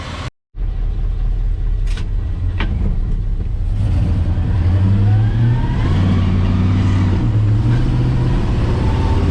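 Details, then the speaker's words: Rebuilt truck engine after an oil change, run about half an hour: deep steady rumble, earlier lifter tick gone, then a light rise in revs. "It's run for about half an hour now, and no more lifter ticks."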